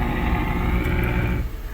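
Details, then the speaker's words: 2010 Ford Edge just after starter replacement: brief strong crank catching within about a second and a half, then settling; new starter turns the engine over and it fires promptly. "so we've done our job right we got the starter going we got it in"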